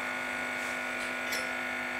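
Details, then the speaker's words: Valve hi-fi amplifier under test, output valve fitted with its grid floating and no negative bias voltage: loud steady hum with a buzzy edge, unchanging level. "you hear that the regret is not connected there's no negative voltage on that Grid it's just floating"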